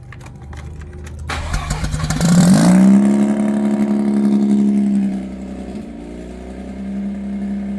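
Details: Mazda RX-8 starting after missing fuel pump fuse was fixed: cranks briefly, catches with a rev, settles into a smooth steady idle; a bit low on fuel but running all right.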